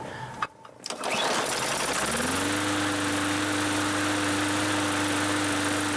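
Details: Free Bolens (MTD) 21-inch push mower that cut out after startup, after carb clean with fresh fuel and priming: engine catches after a moment then settles into even, steady hum with no stumbling or cutting out; sounds healthy.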